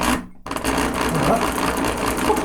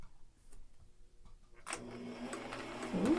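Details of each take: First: Thrift-store Singer sewing machine (missing its light bulb): a rough, rattly whir with a scratchy edge that doesn't sound good. It seems dry and in need of cleaning and lubrication. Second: Thrift-store Singer sewing machine, unserviced, run on its pedal with no needle or bobbin up to full speed: a soft, even, quiet whir with a light steady patter of about four beats a second. Smooth and healthy.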